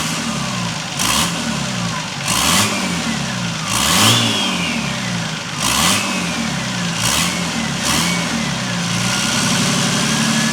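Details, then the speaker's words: Nissan Patrol TD42 diesel with newly fitted Thai-built F66 turbo, untuned: repeated throttle stabs, revs rise cleanly and turbo whistle rises and falls, spooling up freely without trouble. "Once that wastegate is set up and we hear that whistle and then it dumps, holy crap. Now that's why I wanted to try this setup, because that did not have any trouble spooling up."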